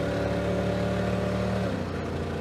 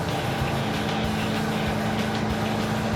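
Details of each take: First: Oh, I can hear the misfiring of a 350 cubic inch V8 that's probably running on uh 220 cubic inches right now. Ah, runs so bad. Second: V8 on the move after carburetor swap and air cleaner refit: steady, even drone with no skips or stumbles; previous lean misfire gone, runs better, quieter.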